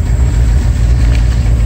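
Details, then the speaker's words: Mercedes V8 settles into low, steady idle after cleaning the front air control valve, high idle fixed; a miss remains and exhaust problems noted; normal idle speed. "Anyway, the high idle is fixed. You can hear it here."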